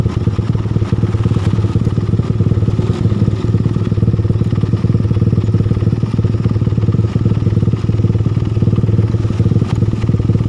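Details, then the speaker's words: Suzuki Satria FU after replacing the damaged cam chain tensioner with a bolt-in type, fixing rough knocking around the cylinder head: steady, even single-cylinder idle, no ticking from the top end; engine now smooth. "ini suaranya sudah halus sudah tidak berbunyi"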